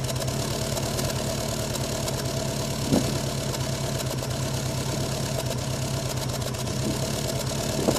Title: Subaru rough idle on cold start